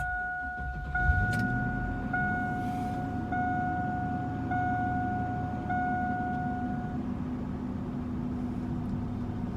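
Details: 2000 Chevy Suburban with a suspected failing transmission (no reverse, delayed shifts, whine) starting with a new battery. The engine catches within a second under a repeating warning chime and settles into a smooth, even idle; healthy start.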